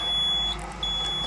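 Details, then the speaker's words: Ashok Leyland diesel, ignition switched on before a cold start, not yet cranked: clean high-pitched steady beep that drops out briefly and resumes over a quiet background; normal ignition-on chime as the system boots. "ആദ്യമേ തന്നെ വണ്ടി ignition on ആക്കുക. ഇപ്പോഴേ start ചെയ്യരുത്."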